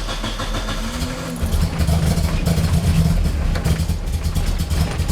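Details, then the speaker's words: Nissan 240SX S13 KA24DE dual cam at first startup: uneven, lumpy low rumble that surges and stumbles, barely holding idle and running very rich; compression and minimum idle setting suspected, not confirmed. "or that my data gas that's really rich but it really reads"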